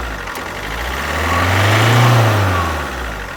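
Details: Alfa Romeo Giulietta II (Tipo 940, 2011), 1.6 diesel 1598 cc, 105 hp, engine code 940A3000, 312,000 km: revs up smoothly and drops back to idle with a dull, slightly uneven beat; one cylinder has no compression.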